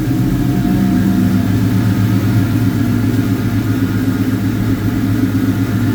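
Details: 2003 Ford SVT Cobra Terminator, 4.6 V8 with a Whipple 3-liter supercharger, aftermarket pulley, American Racing headers and Bassani exhaust: deep, even idle rumble with a faint blower whine on top; steady, smooth, healthy.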